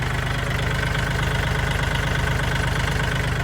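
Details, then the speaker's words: Kubota L4018SP tractor, registered 2021, original engine, diesel idle after start: starts easily, steady even idle about 170 pulses a minute, smooth with no knocks, misses, smoke or coolant pushing; healthy engine. "เครื่องติดสตาร์ทติดง่ายนะครับเครื่องนิ่มๆเลยนะครับเครื่องที่สตาร์ทเครื่องนิ่มๆนะครับ"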